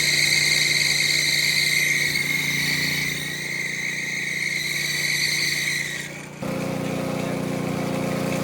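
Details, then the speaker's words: Brand-new Ariens Professional 21 snowblower: a high, steady squeal for several seconds, then a lower run. The cover came off to show the belt worn and chewed, belt residue everywhere, and the pulley wobbling; suspected slipping worn belt. "because of the belt being worn, so something's screwed up. I mean, that is not supposed to do that."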